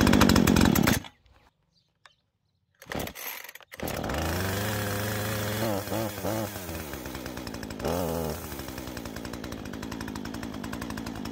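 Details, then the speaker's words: Husqvarna 135 Mark II chainsaw, 38 cc, 1.6 kW, first-ever start, cold with choke pushed: a few pulls, then catches and settles into an even steady idle with a brief rev; healthy cold start. "Takže poďme na to, prvýkrát ju naštartujeme. Štart zastudená, je potrebné zatlačiť sítič."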